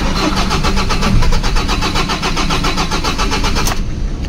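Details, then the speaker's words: 2013 Ford Ranger 2.2 manual, hard start in the morning: steady starter cranking about seven compressions a second for nearly four seconds without catching, fires on second try; hard start from dirty crankshaft and camshaft position sensors. "halata na hard starting talaga Okay Try natin ulit oh hard starting talaga mga calbaryo second time fire"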